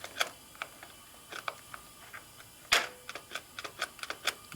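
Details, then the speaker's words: 1972 Harley-Davidson XLCH Sportster ironhead during clutch cable adjustment: sharp dry irregular clicks from the clutch release area, unchanged by adjustment; cause unknown, owner will check the release worm mechanism and bearing. "know what that is well I know something's not right and I don't like not right so that means we're pulling all back apart CU I don't like that noise"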